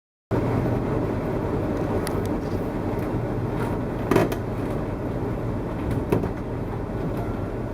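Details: 2014 Winnebago Tour motorhome heard while driving: occasional sharp creaks and snaps every couple of seconds over steady road rumble. Something in the coach body creaks, sounding like misaligned parts rubbing or the slide coming out. Owner blames poor build quality; cause unconfirmed.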